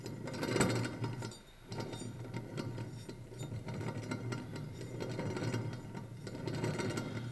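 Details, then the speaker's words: Removed car wheel hub spun by hand: rough uneven gritty grinding rising and falling, bad wheel bearing whose inner casings have come apart. "on the inside of this one the casings come apart on the inside of the wheel bearing and it's producing a nasty grinding noise"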